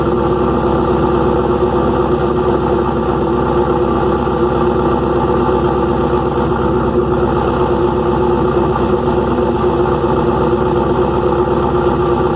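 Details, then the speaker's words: First cold start after rebuild on the engine: loud, rough idle with heavy top-end clatter over a noisy exhaust; owner suspects overly long pushrods (length not measured), ordering shorter pushrods; cause unconfirmed. "i'm hoping that's what the issue is because the valve train is making a ton of noise"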